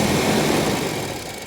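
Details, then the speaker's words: Nissan 300ZX Z32, warmed up, intake filter full of debris (new one ordered): engine idles unevenly and sags, note fading as revs drop toward stalling; rough idle nearly stalling when warm, cause unconfirmed. "vous pouvez l'entendre s'enliser maintenant qu'il s'est réchauffé un peu"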